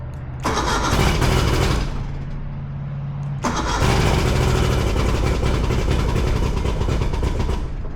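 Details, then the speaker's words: 1977 Play Buoy pontoon boat outboard after a fuel pump replacement, with three carburetors drained: two long spells of steady starter cranking, about four turns a second, without catching, as the crankcase-pressure pump has not yet refilled the carburetors. "The issue being that the the fuel pump was out on it and the carburetors were drained down, the fuel pump works off of internal pressure in the engine, and we had to run it and crank it enough for that to pump to get the gas over, to fill up three carburetors worth to get it going."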